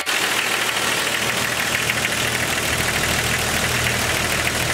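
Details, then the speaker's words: 1998 Jeep Cherokee XJ at cold idle: fast light ticking keeping pace with engine speed, possibly a noisy lifter; owner says it fades when warm but the loudest clack on one cylinder remains at operating temperature. "Here that will go away, but that loudest clack will stay on whatever cylinder that is once it gets to operating temperature."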